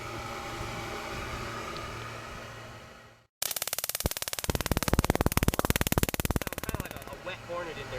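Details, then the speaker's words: Aircraft combustion heater started on low, thermostat low, listening at the exhaust pipe: quiet hum then a fast steady chatter of sharp ticks, about three a second; normal ignition spark, not to be confused with the clicking fuel pump. "It's the best way I can describe it, but you will hear the spark. Just a constant chatter."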